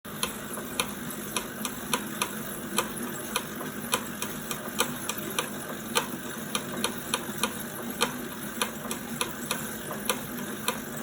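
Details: 2018 Wahoo Kickr Core trainer under load: sharp regular clicks about every half second over a steady whirr; source not pinned down.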